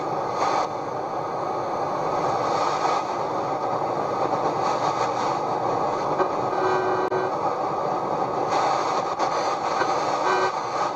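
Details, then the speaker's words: Sony CRF-5090 Earth Orbiter receiver, bought as a non-worker and never serviced, on the bench with a telescopic aerial and signal generator. A steady, hiss-laden broadcast at even level with no dropouts or crackle; it is receiving normally, though a recap and pot cleaning are planned. "Well, it's working. Can you hear that?"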